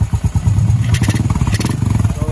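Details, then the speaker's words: Honda XRM 125 carb after top overhaul with new block, piston and rings plus valve clearance adjustment: quick, even popping idle beat with no misses or knocking, quiet and no smoke. Normal idle. "Guys na lang siya mga lods, tahimik na. Wala nang usok."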